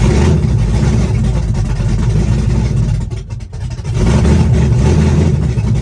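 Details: Chevrolet S-10, first cold start of the day, open headers, Holley red electric fuel pump, cam about .480/.488 exhaust lift, ~297° advertised duration: loud, choppy idle with lopey uneven beat; normal big-cam idle.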